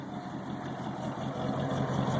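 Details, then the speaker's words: 1977 Lincoln Continental V8 idling at first start, fuel fed from a gas can bypassing the holed tank: quiet, even low rumble with no puffing, ticking or hissing; no audible exhaust leaks. "sounds really nice doesn't sound like there's any problems with the exhaust which is something I was worried about"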